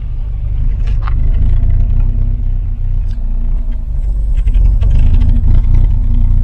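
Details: Volvo 240 (245) wagon that had stood abandoned for years, first run, needs fresh oil: deep, fairly even rumble revving up and settling without knocks or misses, maybe slightly rough. Normal running.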